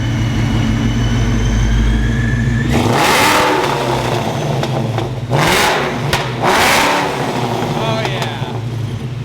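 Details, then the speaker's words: 2004 Mustang GT with ESS supercharged Coyote engine, Spintech 3-inch exhaust and mufflers, freshly tuned, heard from the back: deep smooth V8 burble in three sharp throttle blips, no misses or rasp; normal exhaust note. "dude it sounds sick what I wanted heck yeah I'm I'm glad I went with the spin tuex they got just that perfect tone for it yeah it it sounds really good the blower sounds nasty"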